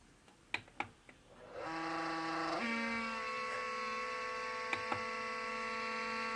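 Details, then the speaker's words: Noisy household humidifier: steady whirring hum whose pitch jumps up partway through and stays, with a few knocks, sounding like it's dying. Abnormal whirring, cause unknown. "Sam, fix it. Almost. Sounds like it's dying."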